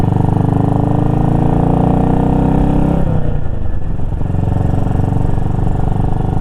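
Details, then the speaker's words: BSA Gold Star single with manual timing advance, no choke, riding under load during break-in after major engine repair; deep steady thump pulling, easing off smoothly with no misses or rattles; healthy, though it wants to die in a low-rpm dead zone. "Yeah, this thing is really healthy now. A lot more confidence inspiring than uh the ride was before."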